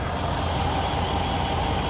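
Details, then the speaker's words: 2016 truck with 6.2 V8, about 150,000 miles, hood open at idle: steady idle with a faint hissing whistle on one side; slight vacuum leak. "I mean it sounds good I hear a slight vacuum leak actually do you hear that"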